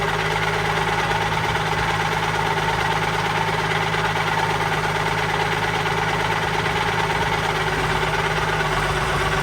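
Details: Allis Chalmers 190XT diesel tractor just revived, with new belt: even diesel clatter with a faint steady whine above it; owner suspects the alternator, possibly the hydraulic pump, unconfirmed.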